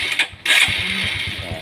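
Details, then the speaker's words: Honda Supra X 125 carburettor single after main jet refit, with air and fuel settings correct: it catches quickly with no throttle, then holds an even, steady idle thump; easy start and normal idle. "Setelah pengaturan udara dan pengaturan bahan bakar sudah benar, bahkan tanpa menyentuh pedal gas, menghidupkannya sangat mudah."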